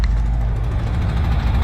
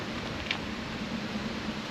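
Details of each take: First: 1968 VW camper bus, air-cooled flat-tappet engine, 20W-50 oil, first runs after 10+ years sitting, battery charger connected: deep, steady, evenly firing idle rumble that improves with revs, no knocks or misses; normal idle. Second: 1968 VW camper bus, sat over 10 years, engine just reinstalled, gas poured in carb: starter churns steadily about three a second but never catches; no spark because distributor rotor was left out.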